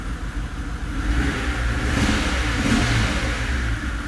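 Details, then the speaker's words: 2005 Mercedes CL65 AMG twin-turbo V12, first start after a 50-hour engine rebuild, old fuel, no coolant: rough, uneven, stumbling burble as it revs, running very rich; the engine is misfiring, and the owner wonders whether one bank isn't firing. "it's old and it's got a little misfire for sure so we don't want to run this too long"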